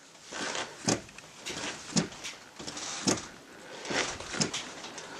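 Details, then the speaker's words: 2005-2010 Chevrolet Cobalt after rear drum brake replacement, car off: sharp single clicks about once a second as the pedal is released, the self-adjusters taking up slack normally until clicking stops. "know if you can hear the click but each time I let go it'll click and that's the self adjusters tightening up"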